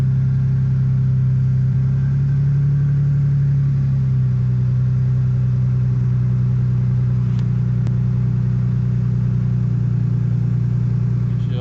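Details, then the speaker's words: 2005 Ford F-150 after replacing the A/C compressor pulley bearing: smooth, steady low idle with no squeal, whine or grinding from the belt drive; engine and accessories sound healthy after repair. "Sounds good guys, sounds real good."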